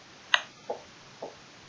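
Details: Lancia Delta Integrale Evo2, engine off, ECU read with lanciatrek via Fiat 3-pin to OBD lead, HT ignition test: three sharp separate clicks about half a second apart; coils firing correctly.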